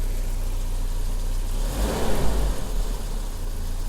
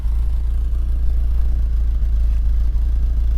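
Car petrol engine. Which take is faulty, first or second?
second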